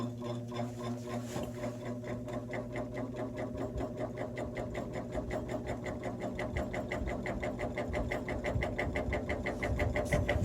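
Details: Vintage 1950s GE box fan, three-speed electrically reversible, on low with bearing play: fast steady rattling shake about three beats a second, growing louder, as the blade hub sits off-centre on the spindle; fan blade imbalance.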